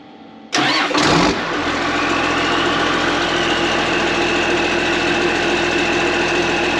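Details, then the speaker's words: Engine started with its old worn muffler slid back on: catches after a couple of cranks, settles into a loud, raspy, hollow idle; worn muffler, loud exhaust. "I'm gonna slide that old muffler on quick, start it up just so you guys can hear what it sounded like."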